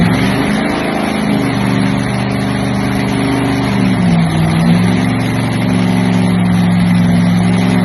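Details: Early Hemi blown nitro Top Fuel V8 with Enderle injector and Vertex magneto, first start on gasoline: loud lumpy idle dipping then climbing as linkage idle screw is adjusted; runs clean and even, normal idle.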